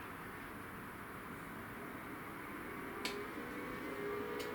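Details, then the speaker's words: EcoFlow River 2 portable power station; quiet fan hiss broken by two sharp relay clicks about 1.4 s apart as output cuts out at 300 W despite X-Boost meant to allow 600 W; cause unclear. "bang as soon as it gets to that 300 watts just cuts out"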